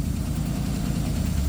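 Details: 1956 Chevy race car, possibly original V8, revived after 20 years abandoned, running with timing not yet adjusted: short burst of deep, even burble with no tapping or misses; steady normal idle.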